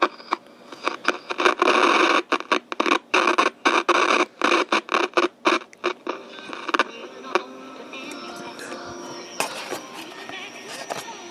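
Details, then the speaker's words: Grundig Micro-Boy portable radio from around 1959–early 1960s, as received, with its internal speaker dead, tuned to a local AM music station at maximum volume: choppy, scratchy bursts of music under heavy hiss and crackle. Reception is weak and not very sensitive. "Anyway, yeah, that's max volume right there on my local AM music station, so not very sensitive."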